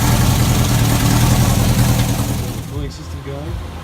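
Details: Chevy 350 V8 race car running loud and rough: hard metallic banging hammering through it and growing harsher, faint at first. Suspected bullet or foreign object in a combustion chamber hitting the head; teardown likely needed.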